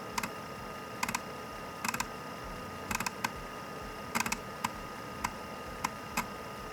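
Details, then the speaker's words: IBM PS/2 floppy drive booting: irregular bursts of two to four sharp ticks over a quiet hiss as the head struggles and keeps seeking; fault suspected in a temperature-sensitive 74HC74 flip-flop logic IC. "that said I can clearly see and hear the head struggling when booting up check this out"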